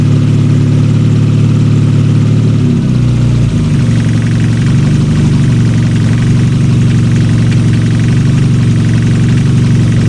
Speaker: Looks like it's running good. It is a little shaky, but that's because I deleted the little air control valve right here.